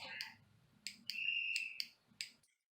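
A handful of crisp, sharp snaps as the switch is flipped by hand, each one clean and positive, as a good switch should sound.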